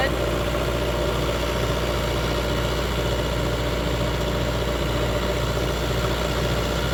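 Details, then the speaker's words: Ford generator aboard a 1981 70' Hatteras yacht, checked oil then started: smooth, constant drone with even beat, no knocks or surging; generator running really well. "so the Ford generator seems to be running really well"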